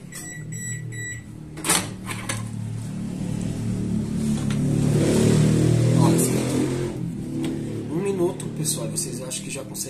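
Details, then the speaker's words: Electrolux MEP41 microwave after replacing a faulty door micro switch (the cause of not turning on), heating water: steady low hum with an even fan rush and a few short beeps at start. Magnetron and high-voltage parts working well; normal running. "isso é sinal de que o magnetron as peças de alta tensão tá funcionando muito bem"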